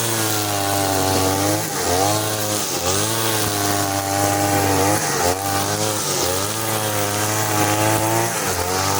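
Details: Side-mount two-stroke brush cutter on the blade carburettor setting, trimming short grass with nylon line: it screams at high revs but drops pitch each time it bites into grass. The lean setting leaves no power under load; a half-turn adjustment for line follows.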